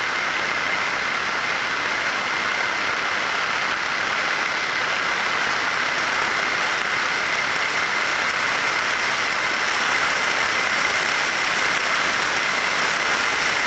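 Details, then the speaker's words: Ultrasound monitoring of a bearing while greasing: an even hiss with a steady upper tone and no knocking; the level first drops with grease, then rises again as more is added, indicating over-greasing. "Hemos ido aplicando grasa, hemos visto cómo bajaban los decibelios, y luego hemos seguido aplicando grasa y ha vuelto a subir, ¿vale?"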